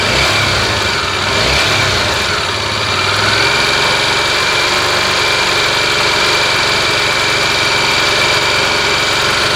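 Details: Tornado engine at warm idle: busy hissy ticking clatter over the engine with a thin steady tone, noise appears when hot; source unclear.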